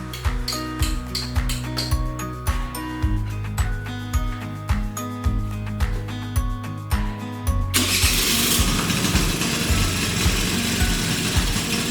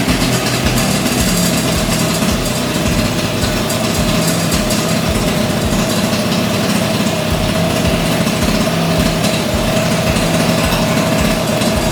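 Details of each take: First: 38-year-old Honda Vision (Elite) moped with a bone-dry choke, new spark plug and battery, reeds fine: about eight seconds of slow, even cranking before it catches and runs ragged; hard starting, choke still suspected. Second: 38-year-old Honda Vision (Elite) two-stroke scooter after choke bypassed, before carburetor adjustment; steady, even idle with quick regular pulse, no stumbling or surging, much improved.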